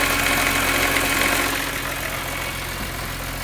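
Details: BMW E46 M3, steady high whine from the engine bay at idle, easing slightly as revs settle; sounds like an accessory bearing, owner suspects bad alternator bearings.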